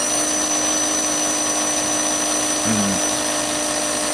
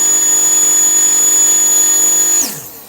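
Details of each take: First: Slot car motor after racing, checked the next day, now at about 3.8-3.9 instead of faster: steady high whine that winds down, pitch lower than it should be; slow motor speed. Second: Car with Viper non-independent front end on the dyno, previously near 450: high, steady whine holding one pitch, then winding smoothly down when power is cut; strong, normal-running motor.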